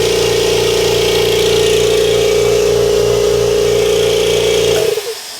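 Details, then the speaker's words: Kobalt Quiet Tech 26-gallon single-stage electric vertical air compressor, brand new, first start on auto: motor hums steadily at an even mid-pitch drone with no knocking or rattles, then shuts off cleanly; much quieter than the old 20-gallon unit, healthy. "All right, I'm gonna go ahead and fire this one up. Oh yeah, much quieter."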